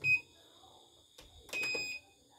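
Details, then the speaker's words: CNY E900 embroidery machine serviced for heavy rotation and hissing, thread-break sensor tested with part deliberately left off: two sharp high beeps, a quick one then a longer one, over a quiet machine; sensor trips normally. "Oke, sensor normal."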